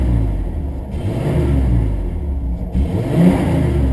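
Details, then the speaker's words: 1989 Ford F150, fuel-injected 4.9 L straight six, 4-speed manual, revving with the battery near 9.5 V and not charging: strong, smooth rev rising and settling back without misses, knocks or rattles; idle good, engine sounds healthy and responsive. "revs good idle's pretty good especially for having like almost nine and a half volts in the battery"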